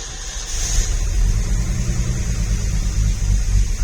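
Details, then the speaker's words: 1965 Ford F100 after sitting 13 years, new plug wires, cap and rotor, gas poured down carburetor, choke pulled; catches quickly and settles into a low, steady rumble with no misses or knocks; normal start and idle. "fired right up don't think it's got gas up"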